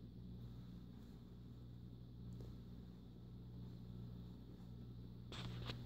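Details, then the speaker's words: 52-inch white and brass Encon ceiling fan, flush-mounted to ceiling joists, on low speed: quiet constant low hum with faint rough grinding edge, droning through the mount into the floor; cause not pinned down. "does make a bit of a grinding noise or humming i should say"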